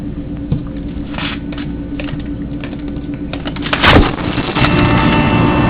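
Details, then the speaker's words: Large ventilation machine recently installed beside the GW Medical Faculty Associates building, recorded at 2:30 a.m. through an opened window: constant low drone with a steady mid tone and clatter on top, running loud 24/7 for about two weeks. "The machine was placed there for about 2 weeks, and it keeps making noise 24 hours a day, 7 days a week."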